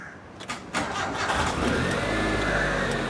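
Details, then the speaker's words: Flood-damaged car with interior stripped and carpet being dried, started up: quick crank, engine fires promptly and holds a steady, smooth idle; normal start. "Okey, hidup enjin."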